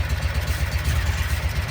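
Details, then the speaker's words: 2012 Kawasaki Mule 4010, liquid-cooled EFI V-twin, down on power: uneven, lumpy low beat with a stumble every few pulses; rear cylinder suddenly stopped firing, confirmed by water spray test, caused by a broken spark plug, fixed by replacing it. "It was running and then all of a sudden it just lost it. We We lost the cylinder. So, it's running on one cylinder right now."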